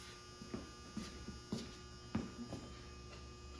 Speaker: don't think the monitor is getting uh any power to it it's sparked right in there I don't know what that was but I remember it did that before as well not quite sure I'm not seeing any neck glow I don't think and that noise is coming from one of these down here